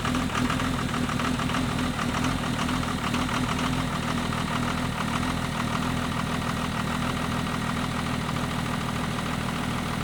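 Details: 2nd-gen Cummins diesel truck cold-started at -9°F after sitting a few days, thermostat not yet open: rough, uneven diesel clatter settling into a steady idle. Normal cold idle during warm-up.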